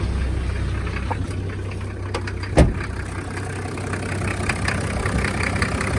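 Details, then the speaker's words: Toyota HZJ75 Land Cruiser with a 1HZ diesel, at idle with the newly installed A/C off and its compressor clutch disengaged: steady, even diesel clatter with one brief knock; normal idle. "So first I'll fire it up without the AC on, so you'll see that the clutch is not working."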